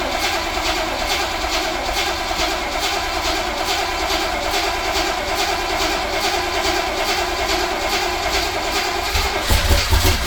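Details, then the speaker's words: 1966 Chevrolet Corvette Stingray carbureted, cold start at 11–18°F in January, fuel drained from carburetor: long, even cranking at about two and a half turns a second before catching, then cranky high idle; extended cranking. "if you just crank it there's no gas in the carbonator so you have to press the accelerator pedal all the way down to the floor"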